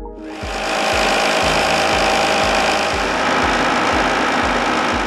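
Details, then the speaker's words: Blackmer LGL3 sliding vane pump fitted with cavitation suppression liner, compared side by side with unlined pump under identical conditions: steady even rush with soft low pulse about twice a second, no harsh cavitation crackle; smoother, quieter. "The cavitation suppression liner makes the pump perform smoother and quieter under identical conditions."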